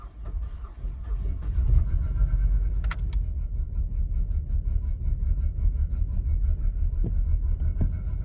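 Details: Ford Falcon BF on dedicated LPG after a hard start, which happens about 1 in 10 starts: a deep, uneven, lumpy idle that runs rough until driven. The cause is unknown.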